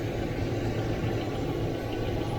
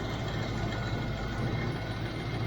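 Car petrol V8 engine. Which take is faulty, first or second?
second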